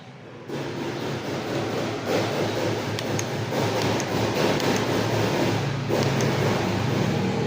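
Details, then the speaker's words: Yamaha NMAX V2 scooter, side cover removed, still noisy after a block replacement at another shop: busy mechanical clatter and rattle over the idle, rising with revs; drive face teeth are stripped, crankshaft still okay. "Ang ano ang masama yung dried face is tanggal yung mga ngipin."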